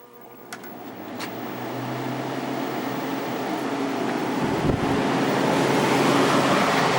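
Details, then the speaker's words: Fedders 10k BTU air conditioner, reassembled without side panels after cleaning and oiling the fan motor, running on low fan: a steady airy rush builds then holds with no scraping or squeal; fan runs normally with good airflow through the condenser. "Got it all put back together aside from the side panels. Started up on low fan."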